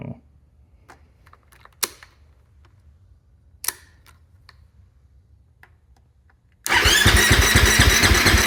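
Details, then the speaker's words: Husqvarna FE 501s after installing an IMS 4.5-gal dry-break tank, Taco Moto fuel pump assembly and Golan quick disconnect; after a long quiet stretch the engine turns over with a loud fast churning but won't fire; owner questions lack of spark, no leaks seen; cranks but will not start. "is that what is that noise I don't see any leaks why am I not getting spark what's going on"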